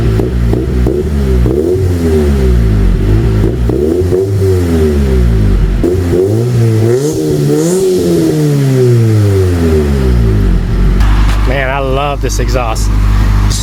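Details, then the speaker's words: 1999 Honda Civic EK, D-series engine with cheap eBay twin loop exhaust, on stock ECU; clean rise and fall through several throttle blips, no misfire or rattle, healthy (engine later smoked after about 10 miles when hitting VTEC). "It's a D series, so if it wasn't for this twin loop, it would not sound good at all."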